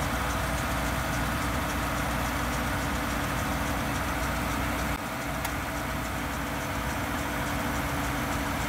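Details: Volvo at idle after a cold start: a steady, rough, gritty grind layered over the engine, coming from the right front wheel well. The cause is unknown.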